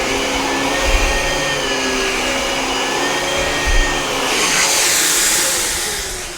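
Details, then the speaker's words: Dyson DC17 Animal upright vacuum, about eight years old, after replacing brushbar, belt, HEPA post-filter and pre-filter: steady even motor roar and smooth airflow hiss, no rattle; much quieter than before. Normal running. "I can already notice just from running it right now that the vacuum is a whole lot quieter than it was before"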